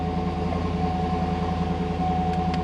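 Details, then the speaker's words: 2010 GMC Yukon 6.2 L92 with stage 2 cam after AFM/DOD delete and new oil pump, idling at about 50 psi oil pressure: smooth, even V8 idle with no lifter ticking; oil pressure still considered low, rough idle starting. "um well right now i mean it's it's in 50 psi but as you can hear out here no no lift or noise"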